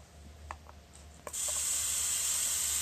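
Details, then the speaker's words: Homemade plasma corona reactor with screw-tip electrode over flat copper PCB: a few faint crackles, then a sudden steady high hiss holding evenly; plasma corona discharge sound, not a fan, operating normally. "Kita nyalakan ya, bunyinya seperti itu ya. Itu bukan bunyi kipas ya, itu bunyi plasmanya ya."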